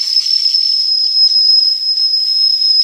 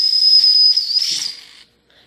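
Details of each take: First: D5 steam engine with boiler pressure up, whistle cleared of water after first blow: clean, strong high whistle held steady about three seconds then fading; normal steam whistle. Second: D5 steam engine boiler at first steam-pressure build-up, whistle valve first pulled with water still in the line: high shrill whistle wavers and breaks into hiss before cutting out; sputtering whistle until water clears.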